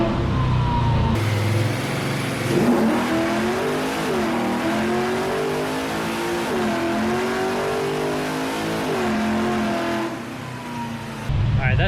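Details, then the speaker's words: LS-swapped Chevrolet Impala V8 on Holley Terminator X tuning, full-throttle run: clean rising roar dipping briefly at each shift, no misfire or stumble; sounded and felt really good, shift points still to verify. "sounded and felt really good i just got to verify my shift points and we should be good"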